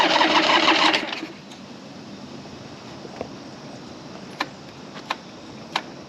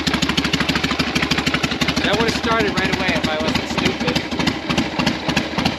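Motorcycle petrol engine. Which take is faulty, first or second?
first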